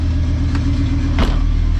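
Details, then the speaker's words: VR5-swapped Mk3 Golf, first start back on the ground after coolant sensor work, checking for leaks and temperature: smooth, even low hum with a steady beat and one light throttle blip; normal idle. "Big moment. Here we go. Here we go. Start her up. Woo, she sounds good."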